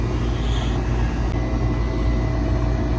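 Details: Residential central AC outdoor unit after dual capacitor tested for a not-cooling complaint with abnormal compressor startup sound: steady low hum and fan rush with faint fixed tone, no clicking or straining; compressor and condenser now running normally.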